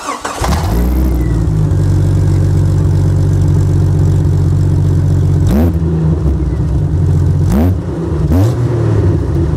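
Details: Jeep Cherokee with a big hole in the exhaust: loud raw low exhaust roar at idle and on repeated revs from the exhaust leak.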